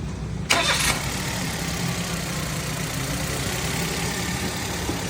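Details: Suzuki Alto 2012 Japanese model, very cold morning start after repair of hard cold starting, misfire P0301 on cylinder one and hunting rpm, with tappets adjusted: quick crank catches at once, settles into steady even idle, no codes; healthy cold start.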